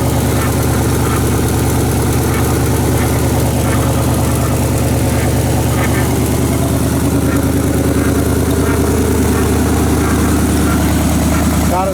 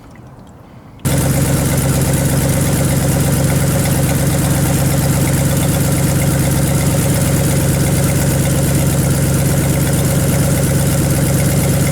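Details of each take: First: 1978 Chevy Silverado 20 pickup warming at idle after first start; extra rhythmic whirring chatter about three per second over the rumble from the front accessories; owner suspects water pump or AC compressor, not confirmed. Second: 1978 Chevy Silverado 20 pickup V8, formerly seized, first run after a coolant fill with the heater core not yet hooked up. It fires and settles into a smooth, even idle while smoke burns penetrating oil off the exhaust manifolds: normal idle.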